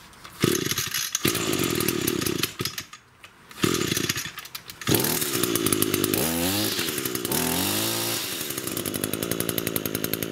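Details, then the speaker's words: Echo two-stroke grass trimmer that bogged, after repair and reassembly: buzz revs cleanly up and down, picking up throttle quickly with no bogging or stumbling; now runs like new. "so as you can see that was the problem it's a huge difference now runs like new"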